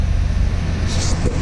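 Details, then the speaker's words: 1989 Chevy K1500 4.3L, 5-speed, 179,000 miles, after head gasket repair (blown between cylinders 4 and 6, heads shaved, valves lapped): short low, even idle rumble outdoors; smooth and healthy. "look out ears she sounds healthy now"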